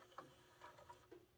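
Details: Carver SD/A-360 vintage 5-disc carousel CD player, refurbished with new belts and cleaned laser: a few crisp clicks and a short whir as the platter indexes to the next disc, quick and even; normal disc change.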